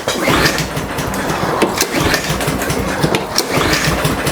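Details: Briggs & Stratton mower engine with plastic carburetor, full of gas, new spark plug with spark, repeat fuel problem after sitting with old pump gas: pull-cord cranking with brief sputters but no catch; carburetor suspected, not yet confirmed.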